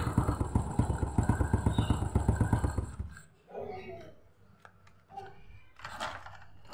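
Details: Old Honda Supra X with suspected weak stator and no charging (about 12.9 V): started with one kick, small single-cylinder pops along at a steady idle before settling quieter; runs normally.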